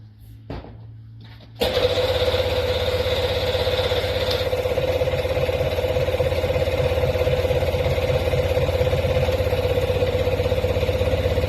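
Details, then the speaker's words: Sea-Doo personal watercraft just fitted with a starter and battery. A few faint clicks, then the engine catches and settles into a steady idle with a rhythmic exhaust pulse: a normal start and idle. "Let's see if we can get it to fire. Last time I had to do all this, it didn't recognize, but it did right there."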